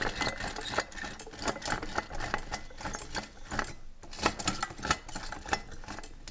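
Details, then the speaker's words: Jag 440 snowmobile engine, blown and removed, partly disassembled, turned slowly by hand: uneven gritty rattle and clicking, sounds like metal shavings inside; crank bearings to be replaced, top end cylinders undamaged. "it is completely sounds like doesn't even turn kind of sounds like there's a billion metal shavings in there"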